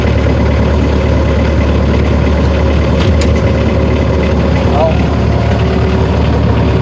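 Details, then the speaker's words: Bobcat T190 skid steer diesel restarted after repairing a faulty wire that cut ignition power, causing random shutdowns and no-crank: steady low rumble with an even beat, no stumbles or knocks. Normal idle. "okay let's see what we have all right we're off here we go now we're talking baby good let's try to start yeah she is running"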